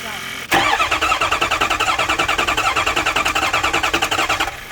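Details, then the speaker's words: Ford 6.0 Powerstroke diesel no-start; starter cranks steadily at three to four beats a second and never fires; cause found to be a high-pressure oil leak from a popped O-ring on an aftermarket Amazon standpipe. "Alright, so it's not that. We gotta try oil leak now."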